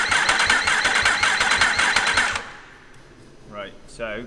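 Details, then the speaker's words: Yamaha R1 race-bike rebuild, engine just fitted with fresh oil, no fuel tank or upper injectors, in neutral: about two seconds of even, quick cranking chatter with no firing, to build oil pressure. "crank it over to try and get oil pressure up and make sure your light goes out of the dash"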